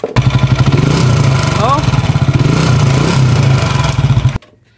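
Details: Motorcycle, likely TMX 155, after re-overhaul with original connecting rod fixing loud cricket-like noise one week after a previous overhaul: engine idles with steady, even low putter, no knocking or rattling.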